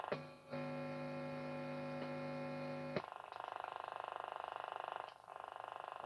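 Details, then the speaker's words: Radio being probed at the volume pot wiper and input: a steady low buzz with many overtones for a couple of seconds, then pulsing noise, described as unusual; mains hum, source not yet traced. "I'm getting hum, which is unusual. Doesn't usually happen."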